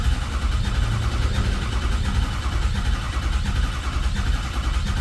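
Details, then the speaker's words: Non-running 2006 Ford F350 4x4 6.0 Powerstroke diesel with new batteries: slow, lumpy cranking about a beat and a half per second, one heavier chunk each cycle, never catches. No oil pressure registering, electrical power oddities; oil pump, HPOP or injectors suspected. "It definitely kind of sounds a little weird turning over, man. Yeah, it definitely has a chunk to it."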